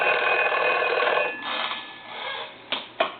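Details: Foreign desk-style telephone from Paris, final checkout after conversion to touchtone and design changes: bright bell ring fades out, then two short taps; ringer sounds clean and strong, working normally.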